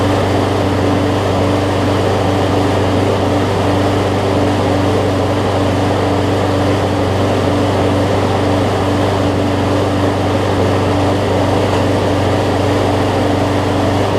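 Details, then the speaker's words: About 15-year-old John Deere JA62 self-propelled push mower with Briggs OHV Quantum-style engine, after cleaning a carb gummed up from sitting; steady even drone with only slight surging, no misfires or knocks, running smoothly. "you'll hear it surge up and down just a little bit but honestly it's probably the best overhead valve briggs quantum style that i've had in terms of it not surging as much"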